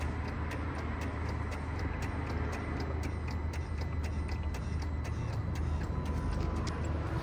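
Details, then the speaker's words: Peugeot automatic with a hydraulic gearbox/clutch actuator being depressurised through a diagnostic tool: sharp, fairly regular clicky-clunky noises, two to three a second, over a low hum as the locks release. Normal behaviour. "So with these model cars, obviously if we do depressurize, so if you hear it, it's making a clicky clunky noise."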